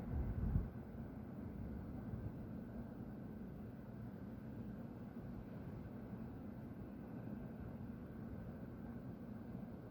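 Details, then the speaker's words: Steady deep roar without rhythm or pitch change from the industrial plant next to a home at half past midnight, with white smoke rising; resident suspects a compressor being emptied, unconfirmed. "Essa zoeira tá vindo da Márcias Dayana. Eu não sei quanto tempo vai ficar isso. Eu acho que estão esvaziando um compressor, ou é outra coisa, é pra vocês verem, tem uma fumaça branca saindo de lá."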